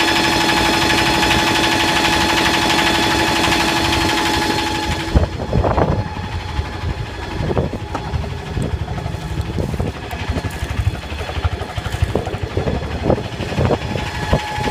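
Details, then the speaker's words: Yanmar SB12 marine diesel after fuel line repair, in forward gear then shifted to reverse under load: steady drone with even firing, no knocks or misses, pulls cleanly; normal running. "It's in gear now, forward. Seems to be pretty strong. Go ahead and put it in reverse."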